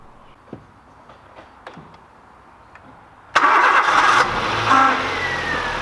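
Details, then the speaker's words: Nissan Micra 1.2i with a crank-no-start and fault code P0340 camshaft position sensor, after installing a new Delphi cam sensor: a few faint ticks, then the engine catches at once and runs evenly; clean start. "Okay, and this is how it looks, the waveform of the new camshaft sensor. As we can see, we have a square waveform from a Hall sensor from 0 to 5 volts, as we were expected."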